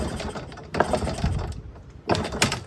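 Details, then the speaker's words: 1997 Yamaha PW50 two-stroke shaft-drive, bought as a non-starter (start/run switch suspected), restart attempt: repeated kicks ratchet and clatter without catching, blamed on an over-oily mixture and throttle set a little low. Hard starting. "come on let's not be like this I thought we were friends that over oily mixture is not going to ignite extremely well throttle's a little low"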